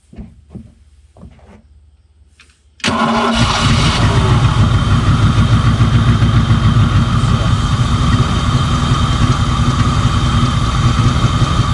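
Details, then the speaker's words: 1988 Ford Mustang GT T-Top after years sitting, restart after moving the distributor one spot: silence, then catches in about three seconds and settles into a steady, even idle; starts and runs properly. "unreal how exciting is that to hear this motor run after all those years"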